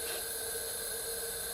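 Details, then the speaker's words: Used junkyard engine out of the vehicle, leak-down style check with air into the cylinder: steady airy hiss out of the exhaust port, felt by finger, showing the exhaust valve opening and closing normally. "I'm blocking the port off with my finger and I can feel the air flowing out of it so that means the exhaust valve is opening and closing for the most part"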